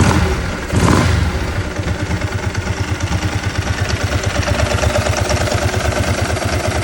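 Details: 2003 Ducati 999S, 7,600 miles, after fixing one-cylinder running caused by a clogged injector, replaced with an injector and fuel lines from an '05: starter catches, engine settles into steady even thump without stumble or miss; both cylinders firing.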